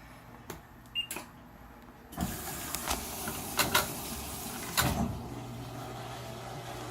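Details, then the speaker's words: Maytag Neptune MAH4000AWW washer after removing and servicing its noisy drain and recirculation pumps: soft rush of draining water over a low, steady pump hum with no grinding. Drains quietly and normally. "sounds like it's draining quietly yeah [Music] that's a good sign it's quiet now"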